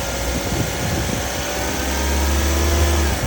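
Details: Engine idling with radiator cap open to show mild coolant circulation without strong bubbling, indicating head gasket is fine: steady even idle, smooth low hum, no misses or surging; normal idle.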